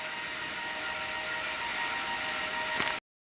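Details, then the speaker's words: Telescope mount slewing to park at zenith after rebalancing; steady even high-pitched whine with a few fixed tones for three seconds, then stops; normal stepper motor noise. "And you can hear those stepper motors whining."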